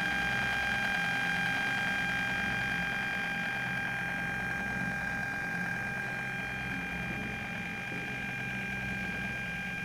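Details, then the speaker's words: Bluetooth module and amplifier module both fed from one 12 V supply: a steady high-pitched whine with hiss persists even at minimum volume (0), power-supply interference noise; the fix is building an isolated 5 V supply. "a pesar de que estamos en el mínimo volumen como ven 0 0 puedo subir o bajar con el control que ya incluye este tipo de módulos igualmente se escucha esa interferencia"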